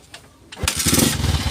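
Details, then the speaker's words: Honda XR150 with a hard start caused by lost ignition power at the coil, after a CDI replacement: brief starter whir, then the single catches on the first try and settles into a quick, even putter; clean start. "Ayan so one click lang guys. Yan umandar na. Okay na guys. Ananandar na yung ating XR150."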